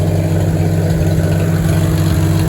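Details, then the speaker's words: 1949 Farmall H, back to running well after tune-up to stop it cutting out, at a steady low, even idle with no misses or knocks; only a small drip at the fuel bowl noted. Normal idle. "all right the H is back to running really good moving"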